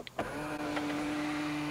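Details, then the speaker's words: Tesla Model X middle-row power seat, driver side: the motor whines steadily, then a loud sharp clack right at the end of travel as the cover plate springs free and fails to release properly. "it would make that noise right at the end of the travel and yeah it definitely was pretty loud"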